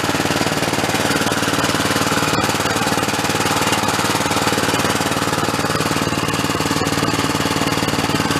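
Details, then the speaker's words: Roughly 20-year-old Cub Cadet riding mower, small single-cylinder engine started on choke with throttle after repairs; quick even putter, no misses or knocks; normal running. "give her some throttle take a look looks pretty good"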